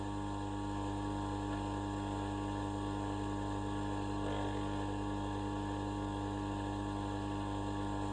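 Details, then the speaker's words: 20-year-old electric motor for a homemade stone tumbler, second run, no load, on a 3 amp fuse: even quiet low hum with soft steady whir, no knocking or grinding; runs smoothly, not hot, slight vibration. "So yeah, second time I had it running. I had it running for about a minute or two last time, and I just wanted to give you a little show how it's going really. Quite nice and quiet, that motor, really."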